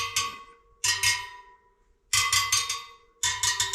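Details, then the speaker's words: Motorcycle wheel build, tapping spokes to check tension (longer spokes ring at a different pitch): sharp ringing taps spoke by spoke, one duller and lower than its neighbour; that spoke is loose and needs tightening. "yeah. So, that one's not as tight as the one next to it. [Music] That's loose. Yeah, that needs a bit bit more."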